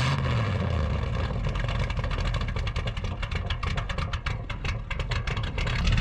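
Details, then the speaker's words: 1962 Chevy C10 pickup with a small block and an old single straight-pipe exhaust, driven on gravel: loud, deep, raspy open-pipe burble rising and falling with throttle over gravel crunch; a healthy straight-pipe small block. "So Rex conveniently has single exhaust straight pipe on a small block that Boom Tube did actually before I bought this thing. Still sounds good, don't it, Duff?"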